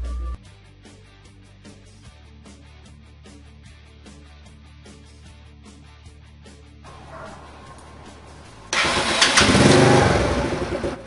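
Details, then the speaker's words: Motorcycle that wouldn't start on the electric button because the battery read 11.84 V, tested after recharging it to 13.1 V: music, then the engine catches and roars up loudly, a clean, normal electric start. "la moto queda encendiendo de nuevo desde el botón eléctrico."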